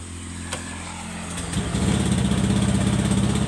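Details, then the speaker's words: Honda Scoopy eSP scooter (2017–2018 on), limited to about 60–70 km/h, throttle held full: revs rise but stutter and hesitate, never climbing cleanly; fixed by throttle body service, sensor repositioning and FI reset. "Kalau digas satu kali dia langsung berebet, Guys."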